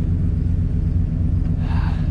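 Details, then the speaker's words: RV after new fuel pump and new free-flowing center-inlet muffler exhaust: deep, steady, throaty idle rumble with even beat, no rattles or ticks; healthy idle. "can't beat it i like i really do like the sound of it it's got that nice throaty sound so i'm gonna go give it a little gas so you can hear it"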